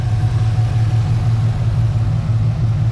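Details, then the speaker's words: 2011 Camaro SS, 6.2 LS3 V8, with long-tube headers, no cats, muffler delete, intake and dyno tune. Loud, deep rumbling idle with a light blip of gas, an even burble about three beats a second, no ticks or puffs; a healthy open exhaust. "this what it looks like this what it sounds like babe give us some gas a little bit louder yeah that sounds good so"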